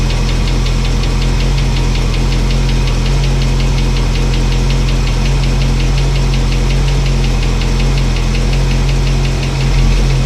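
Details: Old truck V8 after cam break-in and new fuel line: fast, even ticking over a smooth idle; a chattering rocker was adjusted earlier and went quiet but the tick returned, owner hopes it is not a lifter not pumping up.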